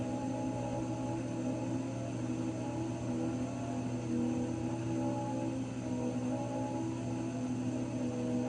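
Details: Raypak 106A heater: several steady, slightly wavering low-mid tones over a constant hum; whining again, cause not yet known.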